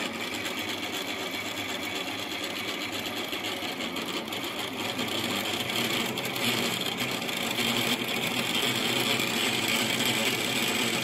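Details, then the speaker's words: New-build apartment cold-water meter making a loud, fast mechanical whirring buzz while water flows through it during system filling, growing slightly louder; meter itself is noisy, neighbors would hear it. "вот такой шум создает этот счетчик когда вода через него проходит просто жесть"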